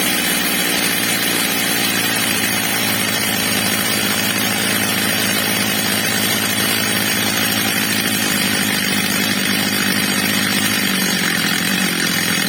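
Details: Stihl MS230 chainsaw, old and well-used, with replacement carburettor fitted, during its adjustment: high, steady two-stroke scream held evenly at full throttle, no surging or bogging; runs clean.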